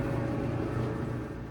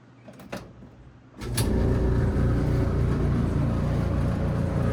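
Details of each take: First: GE dryer after the fix: its rattle was caused by lint buildup in the blower fan, cleared by vacuuming the blower housing. It now runs smoothly with a steady low hum, the vibrating noise completely gone. Normal running. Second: GE dryer that runs and heats: a click, then a loud, coarse low rumble and rattle at startup. The cause is lint buildup in the blower fan, fixed by cleaning the blower housing.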